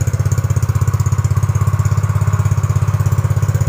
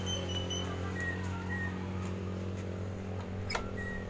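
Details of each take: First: Yamaha Mio GT automatic scooter after idle-screw adjustment: quick, even putt-putt at a settled low idle, loud open exhaust, steady rhythm, rear wheel no longer spinning; normal idle. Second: Yamaha Mio GT automatic scooter at idle: steady low engine drone that stays fast and never settles to a slow idle; idle speed set too high, before adjustment.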